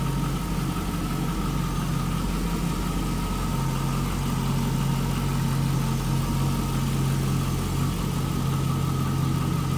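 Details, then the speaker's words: 2002 Chevrolet Camaro SS convertible V8, clean underside: deep steady burble at idle, even and unbroken, no ticking or knocking; normal idle. "Sounds good, looks good underneath there, no surprises."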